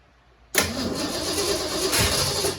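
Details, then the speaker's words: 1967 Mustang C-code 289 V8 with a four-speed, just bought and left sitting, after a starter solenoid replacement. The starter cranks steadily for about two seconds without firing; no fuel is coming up, and the owner thinks the fuel pump is bad. "not getting no gas out of the uh out of this though it should have had gas by now so I'm thinking fuel pump's bad yeah there's no fuel coming up"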